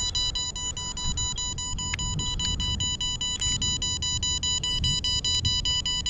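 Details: MJX Bugs 3 Mini drone with its battery being removed: repeated shrill beeps, roughly two to three a second, over faint handling noise. Warning that the drone has lost connection to the transmitter.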